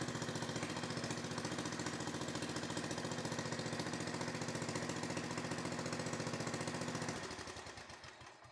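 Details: Victa 10-42 / MTD 145-760A lawn tractor, ~50 years old, covers off, no muffler, carb dripping fuel: loud sharp evenly spaced pops at steady fast idle, dying away at shutdown; runs fine.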